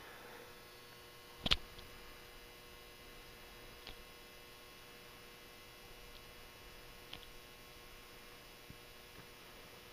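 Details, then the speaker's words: Old Hubbell 400 W metal halide lamp warming up at start-up; faint steady hum with light clicks, the normal buzzing of the ballast transformer as the lamp brightens. "that sound the buzzing sound you hear is the ballast resistance to Transformer buzzing away there"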